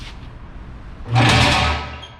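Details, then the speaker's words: Gilson bulk sieve shaker run briefly with the sieve stack deliberately left unclamped during maintenance training. A short, loud burst of harsh metallic rattling and chatter that dies away; this loudness means something is wrong. "So, like I said, if we don't clamp it, it's really loud. Do you want me to run it for a second unclamped? Just so you see how loud it is?"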